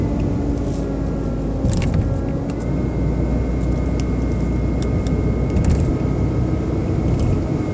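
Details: BMW 120i E87 running: thin steady motor-like whine of constant pitch over the rumble, seemingly from behind the airbox; oil change did not cure it, cause unknown.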